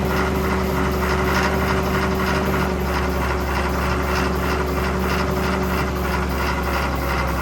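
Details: John Deere grader or 6850 articulating tractor diesel revived after sitting, at almost wide-open throttle: loud clatter with an uneven, lumpy beat about three a second, hunting and stumbling; air in fuel not yet purged.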